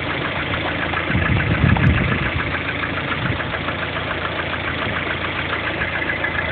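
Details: Lada Kalina 1.4 16-valve petrol engine idling: irregular knock riding over the idle beat; engine knock, source not determined.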